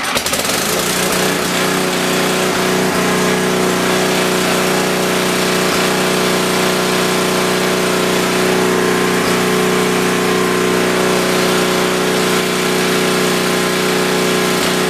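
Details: Rebuilt Tecumseh 10 HP generator engine holds a steady, even drone at constant pitch under load, with no misses or surging, at about 61.2 Hz after a small tweak (earlier it dropped to around 52 Hz); normal running.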